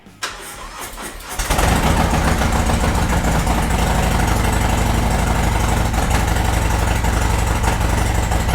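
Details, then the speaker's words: Harley-Davidson Sport Glide V-twin started while stationary after a hose-down: starter whirs, engine catches and settles into an even loping beat about four times a second; sounds good, healthy idle. "I'm gonna go start the bike up. One, for my own enjoyment of hearing that engine, and two, just to get that engine rotating a little bit whilst it's stationary."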